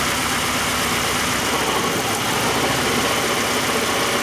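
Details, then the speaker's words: 1991 Oldsmobile Cutlass Calais 2.3L Quad 4 DOHC idling: rough, uneven, lumpy low-end stumble; misfire worsens with injector one connected, and unplugging four changes nothing, traced to a shorted fuel injector. "it actually gets worse with number one plugged in and then if I disconnect number four then it seems to not make a difference"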